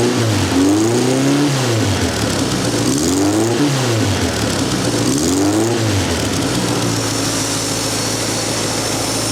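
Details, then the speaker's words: Vandiemen RF-85 with Pinto 2L engine, Weber DGAV 32-35 replaced by DGAS 38/38 carburetor tuned with AFR gauge to about 14.3: three quick blips rise and drop cleanly, settling to steady idle; normal throttle response, healthy pickup. "It runs very smooth, and I'm very pleased with my DGAS carburetor, which is a 3838."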